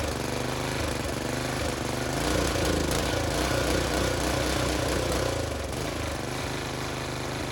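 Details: Briggs and Stratton tiller engine with new China-made carburetor, spark plug, air filter and fuel line, idle screw adjusted: single-cylinder chugs at a fairly steady pace with slight unevenness; runs fine.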